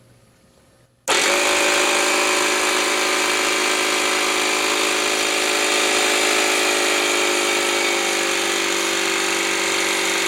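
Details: Small pancake air compressor with brushed motor on a plug-in variable speed controller set to highest, tank filling: loud, even high-pitched motor whine with steady pump beat, starting abruptly; extremely loud and slow but normal running.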